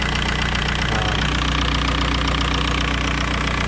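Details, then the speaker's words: 2003 VW Beetle 1.9 TDI diesel, warm idle, heard in the engine bay: steady hiss with quick regular tick about two or three per second; exhaust smell suggests an exhaust leak, location unknown, and engine is somewhat tappy. "And it sounds like there's an exhaust leak. That's what that hissing noise almost is, like that sound."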